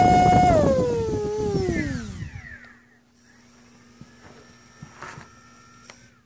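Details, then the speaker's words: Cobra 2204/28 2300kv quad motor on Rotorgeeks 12A ESC with BLHeli 11.2 multi, after reconfiguring timing to medium-high, with demag compensation already off: clean high whine spinning down smoothly, no hesitation or lock-up; timing issue fixed. "this goes every time there's no hesitation it never locks up that's the one"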